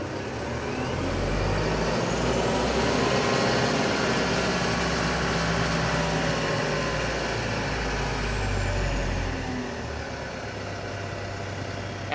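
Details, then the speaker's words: Mitsubishi Canter Euro 4 diesel truck: turning the cab idle-adjust knob, which acts like a potentiometer (variable resistor), raises idle rpm smoothly to a higher steady speed without pressing the accelerator, then it eases back down. "ini seperti potensiometer ya variable resistor seperti itu itik ketika diputar nanti ada tahanan yang lebih beda akhirnya membuat rpm nya menjadi lebih tinggi"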